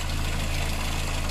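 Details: Petrol engine with timing chain and rocker arms, idling: a light, fast, even tick on top, typical of a noisy hydraulic lifter. A head gasket change is planned, plus new coolant and filter.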